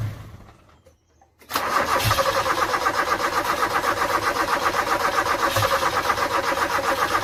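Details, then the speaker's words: 1986 Toyota Corolla KE70, abandoned for years, old petrol and dirt in the carburetor: starter turns in a steady, labored rhythm of about four beats a second without catching; weak battery dragging the crank, and the owner suspects water in the carb. "oh battery doesn't like it it looks like there's water in the carb sure let's try it again"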